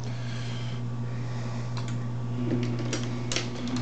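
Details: MEC AutoMate press on reduced line voltage, around 40 volts: steady low mains hum with sparse mechanical clicks; slow to start and runs slower but still cycles normally.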